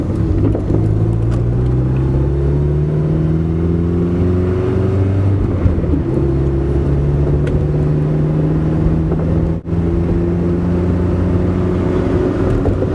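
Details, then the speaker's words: Kia with a carburetor that has no accelerator pump, floored in third gear: the engine bogs with little response, then revs climb slowly; owner suspects the carburetor. "Put it to the boards now. Did you hear that? It's like there's nothing. Now the RPM start coming up. I mean, it will go 55, but by gol darn golly, it'll take you all day."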